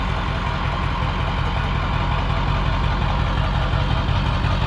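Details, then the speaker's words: 7.3 Powerstroke diesel after KC300X turbo, down pipe and stack install, first start without coolant: steady even idle, deep low rumble, no knocks, quieter than before; small leak at the stack. "That sounds better. I think it's I think it's quieter. I think so, too."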